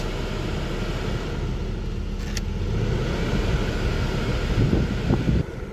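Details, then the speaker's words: 2003 Buick LeSabre 3.8 after blower motor replacement, engine idling with AC on: soft, even fan rush with no squeal, ticking or rubbing; the earlier noise is gone, normal blower operation. "Got the car running. I'm gonna go ahead and turn on the AC. Alright, no more noise."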